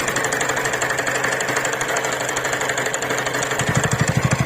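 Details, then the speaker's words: TVS Ntorq scooter idling: quick uneven ticking clatter about three per second from the flywheel/rotor fan side; service center found the one-way starter clutch loose, needing replacement. "Scooty में एक part होता हैसे one way clutch बो होते हैं और वो one ब clutch उन्होंने मेरे को कहा कि यह आपका ढीला हो गया है और इसको बदलना पड़ेगा"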